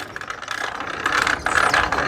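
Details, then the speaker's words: 3D-printed gear-drive bicycle transmission (gears instead of chain), greased with silicone/vaseline, ridden: rapid uneven clicking and rattling that gets louder the harder one pedals, quiet with no force; cause not confirmed. "Ó que faz quanto mais força faz mais barulho faz"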